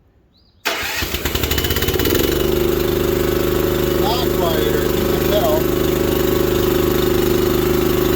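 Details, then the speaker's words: Honda GX240 engine on a manlift, after replacing its very loud muffler, cover on, electric choke, not under load: it catches quickly and settles into a steady, even idle without harsh exhaust bark, about half as loud as before. "that's about half as loud as it was I couldn't talk over it sounds good"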